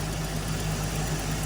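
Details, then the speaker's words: Old Jeep that died running rough at a drive-through (owner suspected crank position sensor), restarted after an easy fix, fuel pump not needed: low, steady idle with even pulse, no misfire, ticking or hunting; normal idle. "let's see it might be tricking us you never know oh no the old girl fired right up"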